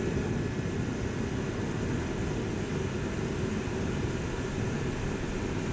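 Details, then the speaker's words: Dyna-Glow Workhorse 65,000 BTU forced-air torpedo heater with spark ignition, pressure dialed to about 3.5, steady even fan and burner roar with no sputter or pops, no smoke at thermostat shutoff; normal clean running. "well you can see the thermostat works i just turned it off it's not smoking when it shuts off so it's burning pretty clean"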